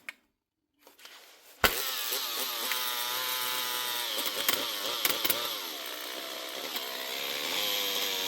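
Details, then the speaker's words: Makita DHP458 18V brushed cordless drill running rough: a high, rough motor whine wavering unevenly in pitch. The brush holder has melted; the armature may also be gone. "Brushes or armature? Could be both. Oh, there's the wee rubber bump off of in there. This one's melted anyway, or melted the brush holder."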